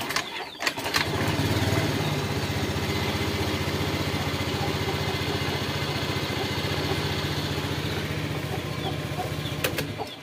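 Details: Honda Scoopy ESP fuel-injected scooter, kickstarted after fuel pump fix: catches after a short kick and settles into a steady, even idle of about four beats a second, no misses; previously wouldn't start even after ten kicks.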